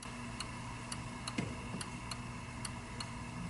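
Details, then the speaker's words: Cactus Canyon Remake saloon door mech (Chicago Gaming upgrade kit), upper door switch after adjustment: crisp, evenly spaced clicks about twice a second over a faint hum, the switch clicking cleanly on open and close. "My my door is coming up plenty far, but we're listening for the click on open and close."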